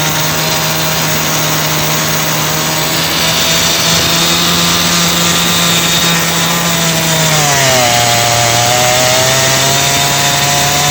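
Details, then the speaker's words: Petrol chainsaw that used to start but die when revved, tested after a new carburetor was fitted: a steady high-pitched buzz holds at full throttle, then drops cleanly without stumbling, so it runs normally. "Check कर अभी इसको start करते हैं, check करते हैं इसको। ये भी चल गया।"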